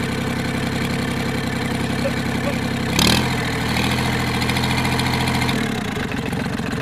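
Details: Kubota L2500 diesel tractor given starting fluid and a dab of brake cleaner: it catches with a sharp burst, then runs with an uneven, lumpy beat that changes and stumbles; rough running on starting fluid.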